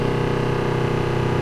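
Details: Flojet automatic booster water pump after pressure switch replacement with upgraded Flojet switch, pumping air briefly at first: steady humming drone with an even fast pulse, no rattle or surging; pump running normally.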